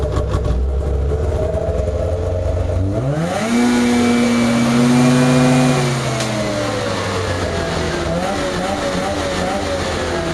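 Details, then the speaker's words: Craftsman DYT4000 jacked up in the garage and revved fully to check for bogging: it climbs cleanly to a high, steady buzz and drops back with no stumble or hesitation. Healthy, no bog. "I just want to make sure it wasn't bogging down anywhere or anything like that um it did actually really well didn't bog down real fast"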